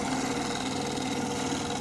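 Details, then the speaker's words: Boiler room hot-water tank circulation pump, running during DHW mixing valve VXG41 and SKD62 actuator replacement: continuous rough, gritty drone with uneven texture, no rhythm; pump noisy and failing. "et là on entend la pompe la pompe des ballons qui fait un bruit de"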